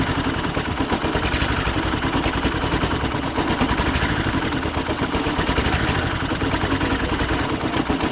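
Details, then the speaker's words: Husqvarna walk-behind string trimmer that sat for years, running after a carburetor clean: the small two-stroke runs unevenly and hunts, still stumbling, possibly from leftover debris in the carburetor; a fuel filter and re-cleaning are planned. "all right so we got her fired up but the carburetor still doesn't sound right so there might have been some more junk in there that we missed obviously"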